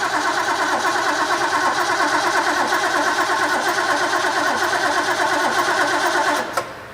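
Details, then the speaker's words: Rebuilt Ford V8 from a 1972 Pantera off the road about four decades, carb bowls primed, spark present: starter grinds over steadily at about three beats a second without catching; crank no start, distributor ignition timing 180 degrees off. "do we have spark we got spark not getting fuel to it yet"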